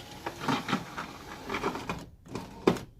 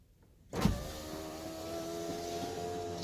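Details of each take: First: Honda CR-V power window before regulator replacement: stuttering, rattling whir in uneven bursts as the glass moves, then stops; the regulator cable was found frayed and torn up, near breaking. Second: Honda CR-V power window after replacing the window regulator; the old one's cable was torn and noisy. Two smooth, even motor runs of about 3.5 seconds with a steady hum, no grinding or clicking. Normal power window operation.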